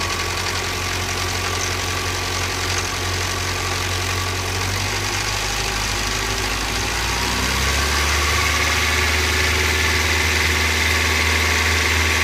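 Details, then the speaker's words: 1985 Toyota 22RE after timing chain replacement, cold start idle: quick rhythmic slapping rattle up top that gets worse as the engine warms; owner suspects a slack timing chain hitting its guides. "starts out fine listen I'm pretty terrible look that does seem to be running fine I don't know Shane has a lot of slack in it"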